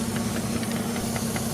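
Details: Jeep WJ Grand Cherokee with EVAP codes, warmed-up idle: steady airy hiss from a suspected cracked hose/line vacuum leak, with the purge valve now clicking about five times a second after a temporary hose fix.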